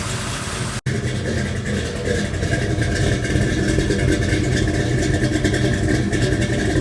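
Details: Big-block Chevy V8 idling after Remflex header gasket install: even, lumpy idle with steady low rumble and no ticking or puffing from the headers; no leaks, only normal header noise, sealed and healthy.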